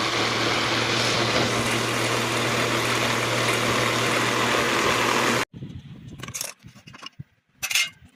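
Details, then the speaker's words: Exhaust ventilation fan runs with a loud, rough whir and steady low hum, reportedly getting noisier as it keeps running; the shaft and bush are found worn down. "ये है ventilation fan है। इसमें देखिए आवाज हो रहा है। Party बोलता है कि चलते-चलते और भी ज्यादा आवाज करता है दोस्तों।"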